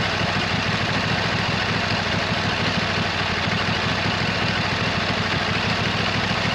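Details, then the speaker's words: 26 HP Kohler V-twin on a lawn tractor, running at idle just after fitting new OEM Kohler ignition coils to cure an intermittent one-cylinder misfire; steady, even low pulse with no misses; not perfect yet but much better than before. "so it's still not perfect it's running really good compared to what it was originally but it's pretty good for now it's pretty good"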